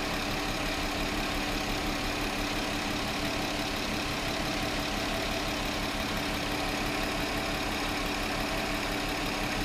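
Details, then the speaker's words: 2009 VW Touareg 3.6L after sealing internal PCV vacuum leak: steady, even idle with no rpm fluctuation; fuel trims slowly returning toward zero. "I have no vacuum in like my crankcase and very slowly these numbers are going to come down we'll let this run a bit I have no rpm fluctuation anymore"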